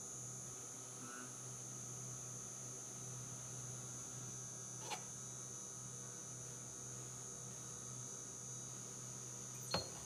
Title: Frigidaire FGIC3066TB Electric Induction Cooktop - High pitch, loud noise !